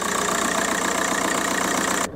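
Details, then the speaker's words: 2002 VW Golf PD130 diesel idling after the injector loom was replaced. A steady, even idle with a smooth beat and no stumble; there's no vibration and it's running just like it should. "sat inside the shed and there's there's no vibration it's it's running just like it should run it's a pleasant place to be"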